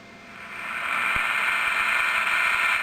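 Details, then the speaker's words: 1938 (or 1949?) Westinghouse tube radio after recapping and further component replacement, warming up: steady hiss and crackle swells then settles at an even level; working receiver with some static. "this doesn't sound too bad so um let me turn it on and show you where I'm at right now let's warm it up"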